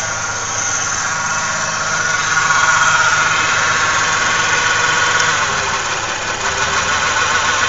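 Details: 1995 Ford Ranger Splash 3.0L V6 at idle with heavy vibrations and strong gas smell, spark plug wires checked for misfire: unsteady idle with uneven shake and thin squeal; rough running, likely misfire.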